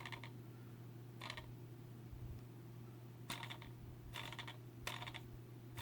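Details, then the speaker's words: Racerstar BR2206 2300KV brushless motor spun by hand near the microphone; short gritty rattling bursts from a worn, rough bearing, one of four motors with bad bearings, while the others spin smooth. "bearing and this one is totally shot it works but it sounds like terrible so one out of one out of four of these motors is is L the bearings are no good"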